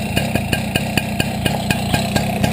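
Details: Small motorcycle engine idling with a sharp, regular tick about seven times a second over the exhaust note. The knock may come from a badly adjusted carburettor, but the cause is unconfirmed.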